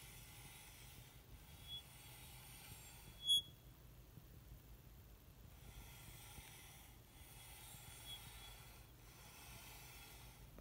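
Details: Mantis Pro electric scooter, slowly turning wheel: hissy scraping rub that swells and fades about every two seconds as the hydraulic disc brake rotor drags; fixed by truing the rotor and adjusting the brake.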